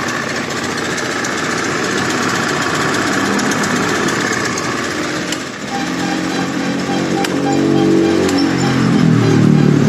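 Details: Honda Scoopy FI scooter smoking white and stalling, with a badly scored piston and cylinder; fuel pressure only about 21-25 psi against a normal 40+: uneven, lumpy, hunting idle with sagging revs. Rough idle from low fuel pressure; fix is replacing the piston.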